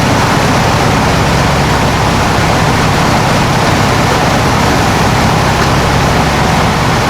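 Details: 1995 Ford F250 (OBS) just after its first fire-up, air inlet box off, oil smoking off the exhaust manifolds: a loud, steady, even roar with no knocks, misses or squeals; engine running smoothly.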